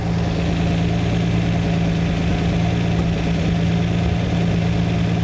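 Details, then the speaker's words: Lamborghini V12 during live carburettor tuning: deep even idle with a soft irregular pop as one cylinder runs far too rich (around 6-7:1 instead of 14:1) while its mixture screw is adjusted; the tone lowers as it's corrected. "that that popping is the cylinder trying to work there we are same again the tone has lowered"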